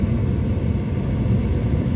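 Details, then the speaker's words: Gas furnace that had been cycling off after cleaning its flame sensor, just after flame-up: constant low roar holding steady without cutting out, burner staying lit past the usual 5-10 second shutoff. "okay now right after it flame up right now it usually shut off in about five or ten seconds it's still going so that's a good sound"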